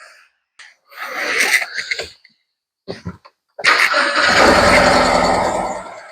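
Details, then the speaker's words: BMW E91 after Tiger Seal repair of a cracked cam cover oil leak and codes cleared: engine catches into an uneven, lumpy idle with a stumble in the beat, smoking; still misfiring on one cylinder. "Yeah, still very much misfiring."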